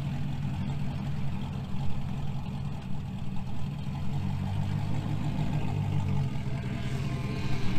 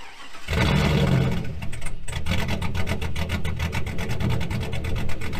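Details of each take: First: 2000 GMC Sierra 5.3 V8 with Texas Speed Stage 3 truck cam, running its own tune again after a stock-tune test; steady lopey idle, started perfectly, stays running in gear without stumbling; normal idle. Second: 2000 GMC Sierra 5.3 V8 with Texas Speed Stage 3 truck cam (.550/.550, 216/220, 112 LSA) just flashed back to factory stock tune; cold start catches quickly, settles into deep, choppy, loping uneven idle.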